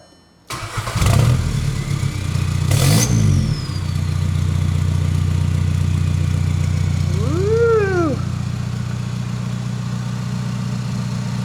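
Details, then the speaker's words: Volkswagen Jetta Wagon diesel, first start right after a newly made full exhaust was installed with the car on the ground: short crank, quick catch, one rev blip, then a deep, steady, even idle. Clean, normal start-up. "Alright guys, the exhaust is fully in, the car is on the ground, and I'm gonna have Trevor fire it up and let's hear how it sounds for the first time."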